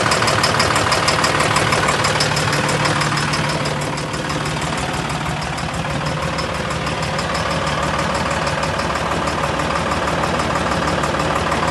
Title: How to diagnose engine Knocking noise | danilotroubleshooter #mechanic #engineknocking